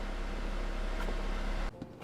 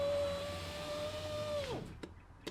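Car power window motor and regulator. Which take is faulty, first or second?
first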